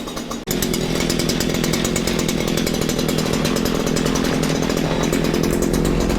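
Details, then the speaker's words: Stihl FS94 trimmer two-stroke after recoil replacement, warmed up after burning off bad fuel, earlier suspected rich and smoking: fast steady buzzing idle with even firing, no longer smoking; normal idle, carb left untuned. "you know what i don't think i'm gonna touch it i like a little idol it's no longer smoking wow at aisle so it's not running rich"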